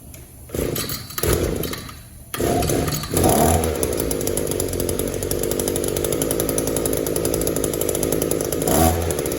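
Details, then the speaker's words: Echo two-stroke trimmer with a Walbro WYK carburetor, no air leaks, clean filter and exhaust ports: idles steadily, but each throttle blip falls flat and won't rev; lean high-speed mixture screw. "It'll idle all day long, but it won't rev up."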